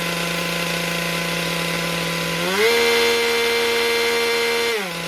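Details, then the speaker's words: MS462 chainsaw calibration after service with a cleaned air filter: after at least 30 s on choke the trigger is gripped. Steady high idle, load setting, then a flat even wide-open-throttle note for two seconds, dropping cleanly back to idle; healthy. "And then just grip the trigger after 30 seconds, minimum 30 seconds. And you'll hear that load setting, and then it'll go up to wide open throttle, set it there, and then let it idle for 30 seconds, and that'll all"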